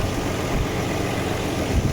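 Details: 1995 Nissan D21 Hardbody VG30E V6 after the AAC/AIC valve was bypassed by removing its elbow and fitting 2 bolts. Steady low rumble with even firing and no surge; the idle is fixed and smooth.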